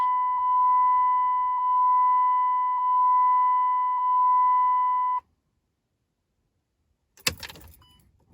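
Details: Dodge Ram Cummins diesel after an oil and fuel filter change: key on, engine not started, repeated 5–6 times to refill the filter bowl. A steady high hum for about five seconds, then it stops: the lift pump priming normally.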